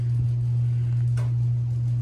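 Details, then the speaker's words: Outdoor-rated ceiling fan in a damp, humid room: a loud, steady low 60 Hz drone as the fan motor's mains hum carries into the ceiling beams. "that 60 hertz hum into the beams which is quite loud and obnoxious actually you can hear it can you guys hear that it's loud as hell buddy"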